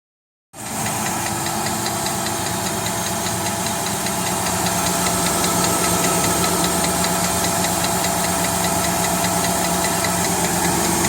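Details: 2017 Nissan Titan SV V8 idling with a light, steady metallic ticking about four clicks per second over the engine hum; cause not identified.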